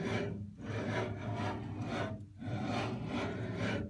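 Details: LaOS laser cutter X axis after tightening a loose belt: rasping whoosh swelling and fading in a slow repeating cycle as the head travels. Periodic rubbing noise.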